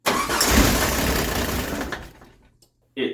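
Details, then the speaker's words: 1989 Jeep Wrangler YJ, carbureted, sitting over 12 years: starter churns about two seconds at a steady beat without catching while a fuel line before the carburetor is off to check fuel delivery; crank no start, later ran, cause unconfirmed (maybe old fuel). "so I remove one of the fuel lines right before the carburetor to see if the engine is getting any fuel while I'm cranking it to see if any fuel comes out"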